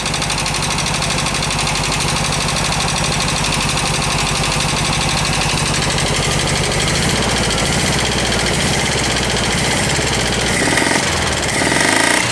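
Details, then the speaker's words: VW bus engine rescued from a garage, cold start at idle: fast, loud, regular valve tapping keeps pace with the engine; the carb is popping back, blamed on a burnt valve. "loud juding by the way that's popping through the carb has a burnt valve you can hear it kind of kicking in though"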